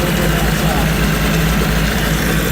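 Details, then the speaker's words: 25 hp Mercury outboard after carburetor rebuild, running in a test tank. Steady, even low burble with no misses or surges; normal idle. "now we're just going to tank test to see if it runs up sounds like it"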